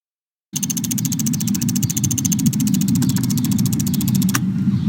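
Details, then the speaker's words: Engine at idle: fast, even light ticking over a steady idle, like a faulty noisy fuel injector, relay or evap solenoid; such underhood ticks are often normal but this example is of faulty components. "there are many ticking sounds under the hood that are completely normal for example fuel injectors opening and closing relays turning on and off and sometimes evap solenoids activating"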